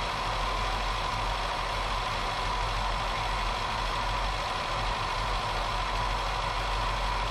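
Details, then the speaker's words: 1977 Datsun B210 just after first start following fuel system cleanup: steady low idle drone with a coarse, uneven undertone; owner thinks it runs rich; rough idle. "oh my goodness this thing is running rich I think I need to just screw that fuel needle in before ijust like the idle and stuff I don't know mess with it"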